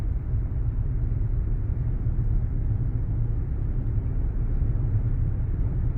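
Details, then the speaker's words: Ford Taurus SHO (twin-turbo) on the road at cruising speed after a wheel hub assembly replacement (Dorman hub, bearing pressed out at a shop): steady smooth road rumble with no growl or hum rising with speed, and the turbos are audible again. The wheel bearing is now quiet. "So quiet now. Yes. I can hear the turbos again."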